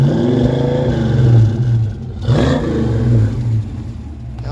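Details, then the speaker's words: 1982 Ford Mustang GT revved, heard from behind the car after new factory-style tailpipes, broken exhaust clamp leak remaining: deep, even rev with no puffing or ticking under throttle, leak inaudible; healthy exhaust. "throttle you can't even hear that exhaust leak it sounds great"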